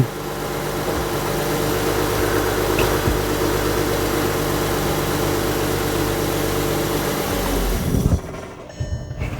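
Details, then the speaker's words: 2011 Volkswagen Touareg 3.0 TDI diesel just after a fuel filter replacement, primed only by cycling the key without a scan tool: it runs fairly steadily but slightly unevenly, then stalls after about 20 seconds. "okay so it stalled it stalled after running for about 20 seconds let's try and restart it"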